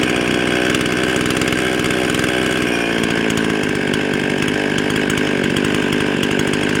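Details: Husqvarna 55 chainsaw with a carburetor gasket air leak, before repair: screams high and hot, around 13,500 rpm, with an uneven labouring note; bogs when cutting; lean bogging from the intake air leak.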